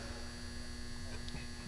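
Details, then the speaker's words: Quiet constant low mains buzz from a barn-found frequency counter at power-on; humming, thought to be just the transformer, source unconfirmed. "that's it's humming like it's good to explode kids although honestly if there's no if it's just say season it's just a transformer"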